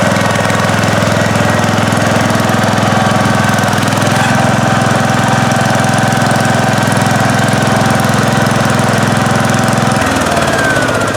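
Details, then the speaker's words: 1971 John Deere 140H3, Kohler K321 single-cylinder, after carburetor rebuild and new float fixed fuel pouring from carb: steady drone under load with even firing, no misses, brief dip near end; normal running. "All right, well, thanks for joining us on this video today. Checking out Anthony's 1971 John Deere 140. Rebuilding the carburetor, installing a new float, and it fired right up."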